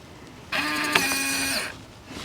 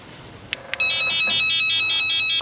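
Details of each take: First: RV door lock with new batteries, beeps muted by holding keypad 1 for five seconds, locked and unlocked by code and fob: about a second of buzzy motor whir, no beeps; works normally. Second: RV door keypad lock: shrill rapid beep series before it locks or unlocks, then a shorter burst; not a broken lock but its warning that the internal batteries are dead.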